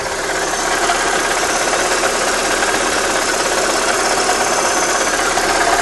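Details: Opel Astra G 1.6 16V at constant speed: steady running with a fast, slightly uneven ticking-knocking note over the hum. Engine noise, source unclear.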